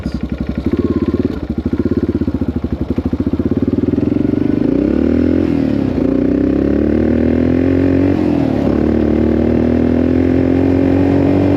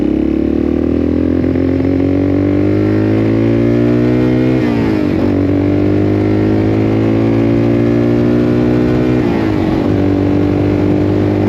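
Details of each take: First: 1984 Yamaha XT600 single-cylinder on a desert wide-open-throttle test after swapping wrong jets for correct standard jets: still stutters and misses under load, breaking up less than before; owner suspects lean mixture, pops on throttle lift-off. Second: 1984 Yamaha XT600 single-cylinder in the desert after swapping wrong-sized carb jets for correct standard jets, pilot screw at 1.5 turns: climbs cleanly through the gears, pitch rising smoothly, no stumble or bog; healthy acceleration, best it's ever run.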